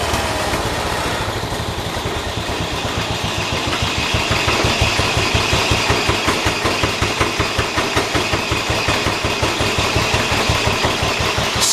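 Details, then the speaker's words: John Deere 212 tractor single-cylinder after the starting problem was found: ticking over evenly at slightly fast idle, no misses or knocks; running well. "throttles up a bit high but it's idling real good"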